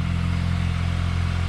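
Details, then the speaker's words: VW GTI Mk8 with Unitronic Stage 1+ and a Southbend Stage 3 Endurance clutch about 300 miles short of break-in, recorded outside at idle: a low, even idle with light rapid chatter, quieter than others report. Normal performance-clutch chatter. "but as you can see whereas you can hear the chatter is not it's not as loud as all the people mentioned at least on my case"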